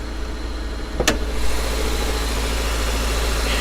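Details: Older Mazda manual-transmission car at an auction yard with a strong clutch and recent front struts; the valve cover gasket is not leaking. Steady, even low hum with a smooth beat and no knocks or misses. Normal idle.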